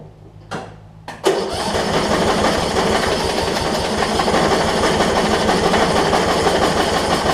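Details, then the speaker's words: Yard Machines 38-inch riding mower, 13.5 hp Briggs & Stratton, with starting fluid sprayed in carb: sharp start, then about three labored beats a second churning without catching; cranks but won't start, owner suspects bad, watery fuel, possibly fouled plug. "i think i think the fuel is just so bad in it that it just won't crank for us"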